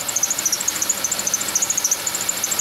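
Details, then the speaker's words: Chevy Venture van, engine running: fast, regular high chirping squeak about ten per second over a quiet engine; suspected idler pulley directly below the air pump, confirmed when WD-40 silences it; squeal worsened over the past week. "but judging from where the sounds coming from I think it's the idler pulley directly below this air pump"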